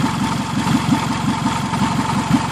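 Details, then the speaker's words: 2003 Toyota Camry, first start after an engine swap: a fast, sharp puffing tick keeps time with the idle, loud and raspy over a smooth engine. It is an exhaust leak at the bad flex coupler; the engine has no valve noise or knock. "but the noise that you're hearing in the video is the leak at this at this blessed coupler right here this is all exhaust noise"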